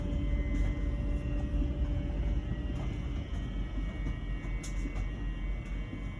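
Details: LG Wash Tower WKHC202HBA heat pump ventless dryer, about a year old and otherwise working fine: a new low, constant droning hum with a faint steady buzz during the cycle; abnormal buzzing, source unknown.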